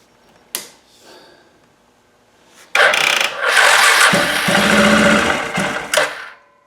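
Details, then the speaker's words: 2007 Arctic Cat ATV 400 unused a year and a half, primed with lever primer, automatic choke: quiet cranking, catches for about two seconds of ragged running, then dies; won't stay running, carburetor needs cleaning. "You know, it would run briefly. It started briefly. You heard it run for just a second or two. when we prime it, but it's not going to stay running."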